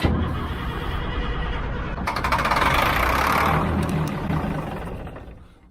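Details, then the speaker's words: Old 6x6 deuce and a half army truck that has sat a while cranks steadily at about three beats a second and never catches; owner suspects fuel is not reaching the chambers and checks the water-fuel separator. "it ain't getting no fuel let's do some more homework"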